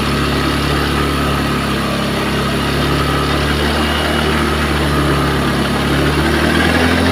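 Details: Honda Beat eSP scooter after replacing cylinder block to cure oil smoke and wet exhaust: smooth, even idle with steady low hum, engine runs smoothly, no longer smoking. Normal idle.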